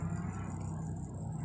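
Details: Household oscillating electric fan after repair of worn oscillation gear teeth: soft, steady motor hum with no clicking or knocking; runs smoothly and quietly.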